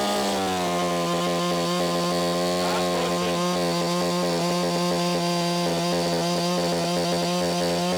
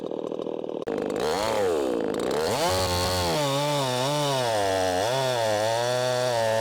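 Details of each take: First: Echo CS501P chainsaw converted to 3/8 chain with a Sugihara bar, cutting locust at full throttle: screaming, wavering, stuttering note then revs drop; breaking up under load, owner suspects limiter, cause unclear. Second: 50cc Echo CS501P chainsaw on its stock .325 chain and sprocket, leaned hard into a log: screams at high revs, sags a little each push, then pulls straight back up without bogging; normal, strong operation under load.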